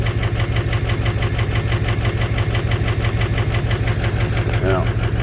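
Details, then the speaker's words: 2005 Ford F-350 Super Duty 6.0 diesel idling, likely cold: lumpy regular stumble about three beats a second; misfire, weak cylinders four and seven on contribution test, glow plug fault on six, cause unconfirmed. "today we have an 05 super duty it's got a miss as you can hear it"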